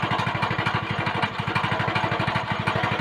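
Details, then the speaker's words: Go-kart small engine after governor bypass: quick steady single-cylinder chug with rough grinding undertone; centrifugal clutch completely seized, won't start with wheels on ground, replacement clutch on order. "now that sounds promising and i did want to go for a ride but this clutch is completely seized you can actually hear it grinding"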